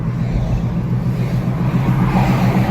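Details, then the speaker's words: 2009 Jeep Compass on an alignment rack with the front wheels off the ground and the body weight on: a heavy, deep, constant drivetrain roar while driving, very loud. The CVT or a front hub bearing is suspected, most likely the bearing. "That is loud, guys. That is borderline danger."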